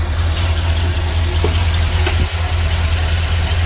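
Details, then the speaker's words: Ford truck, 34,000 miles, sat for years, idling after a new PCV valve fixed its tick: steady low idle, even hum, no ticking or clicking; possible exhaust manifold noise noted, grommet may also need replacing. "Alright, so we'll put the new PCV in. As you can hear, it's pretty much gone."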